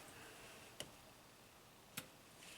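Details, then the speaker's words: 2015 Toyota Camry 4-cylinder, 125k miles, U760E transmission, P2714 code: SLT solenoid bypass test with test light to battery negative gives three crisp distinct clicks; solenoid actuating normally. "And if we touch this to battery negative, we should hear a distinct click. Let's try it. We do."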